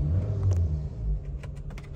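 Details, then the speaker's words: Chevrolet Cruze 1.8 engine idling after the strange noise was repaired: deep, even rumble with no rhythmic knocking or squeal; only normal cam gear noise remains. "còn lại tiếng kêu bánh răng cam thôi ngon chưa"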